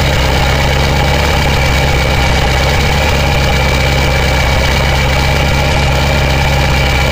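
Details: 2000 Ford 7.3 Powerstroke diesel cold start in 7°F Wisconsin weather (about 10 above said): steady, even low rumble with no lope or stumble, white smoke; normal cold idle.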